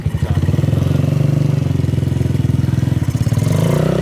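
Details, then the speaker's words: Small single-cylinder bike idling, still missing seat, swing arm, foot pegs, rear and fork springs, choke possibly still on, runs smoothest when really cold; quick, even thumping pulses, deep exhaust note, no misfire or rattle. "yeah dude oh she sounds like a ripper riding off for the sunset literally dude it sounds so good"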